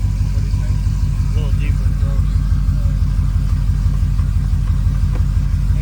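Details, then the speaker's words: Boss-built V8 hot rod after installing CNC Boss heads, Boss Racing cams, new chains and guides; warmth uncertain. Deep steady rumbling idle, slightly lumpy at about three pulses a second, no ticks or knocks. Healthy, sounds about the same as before. "It sounds about the same from my understanding, but the point is it's done."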